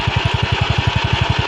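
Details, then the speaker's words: Yamaha Mio Sporty scooter idling with gasket refitted after replacing the flywheel bearing, which caused a metallic scraping at idle that vanished when revved. Even, steady low thump about eleven beats a second, no scraping: smooth, healthy idle. "Start. O yun, oh, pino na, oh. Pinong-pino, oh."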